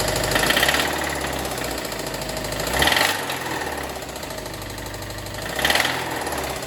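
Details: Subaru WRX STI engine at idle: hard metallic knock over the idle, getting louder every few seconds; real internal knock, engine likely must come out, source still to be traced.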